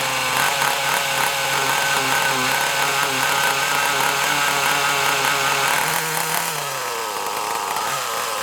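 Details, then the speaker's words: Kyosho Mini Inferno small nitro engine with a single-needle carb, glow heater on: a high buzzing, wavering, burbling note sags and picks up unevenly. The owner thinks it sounds rich; not confirmed. "I mean it sounds a bit Rich let's try it a little bit leaner and see what happens"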